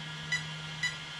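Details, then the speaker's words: Arrma Kraton 8S: short high beeps about half a second apart over a faint hum, part of the ESC's three-beep code, which the chart gives as sensor loss; the motor is suspected broken inside, with power loss in first. "i have a feeling this motor might be broken those three beeps coming out of the esc i am gonna look on the chart and see what those three beeps are"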